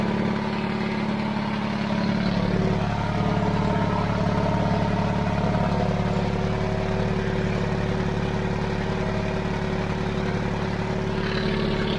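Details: 70-year-old 1950s barn-find D6 dozer diesel, started via pony motor after years sitting: deep, steady chug at about three and a half beats a second, even throughout; normal healthy idle.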